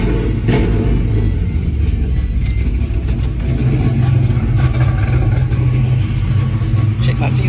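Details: GTO with ongoing fuel issues, restarted after fuel pressure was checked: fires and settles into a steady, even low rumble with no misses at idle, fuel pressure about 50-55 psi at idle; owner suspects pressure drops when the throttle is opened.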